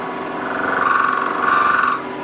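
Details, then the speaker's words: Milling a 12.6 mm tang on a tailstock die holder, 1 mm cut with the workpiece overhanging the vise side: harsh steady buzzing squeal around 1 kHz; chatter suspected from lack of rigidity. "I don't like the sound of that. That's the sound of lack of rigidity, I think."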